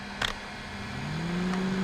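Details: 1200 W inverter generator loaded to 1500 W: a low electrical hum slides upward in pitch with a few clicks as the inverter strains under overload, then it dies.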